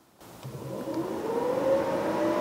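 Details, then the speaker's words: MGB GT classic car cooling diagnosis: electric radiator fan powered directly via jumper at the relay; steady whirring hum spins up and holds even pitch; fan works normally, relay still to be tested. "and the fan comes on so now i have at least a good working fan nothing wrong with that"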